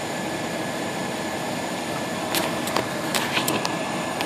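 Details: Steady airy rush with faint even whine and light ticks from a newly installed replacement blower motor in a 1997 GMC Safari van, fitted mid A/C recharge after the old one malfunctioned; runs smoothly, healthy.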